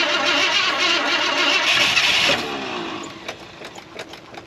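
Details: 1973 Ford F250 flatbed, FE 390 V8, woken after long storage with rodent debris, fresh gapped plugs fitted: starter cranks steadily at close to four beats a second, then stops without the engine catching.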